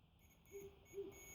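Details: Two faint short beeps from a multimeter on continuity over a quiet room, confirming the reassembled switch contacts in a Stanley-type jump starter battery box now conduct after possibly coming loose.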